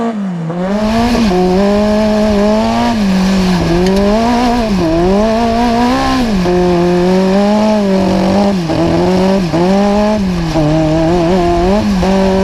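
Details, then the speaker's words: Magnum super buggy race car with a carbureted V8 (new carb) on track. A steady rasp sags and wavers at each turn-in as the carb starves and flutters; a float set too high is suspected, and the float was then adjusted. "i think we might be a little high on float because now when i cut it to the to the left or to the right i mean it's fluttering out"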